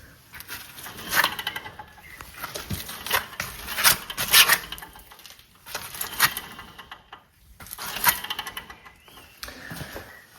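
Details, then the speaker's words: 2014 BMW F11 520d M Sport, front hub with disc on spun by hand: gritty, uneven clicking and scraping instead of a quiet spin; wheel bearing worn, passenger side even worse; replacement bearings ordered. "So that wheel bearing is not good. And then passenger side, even more not good."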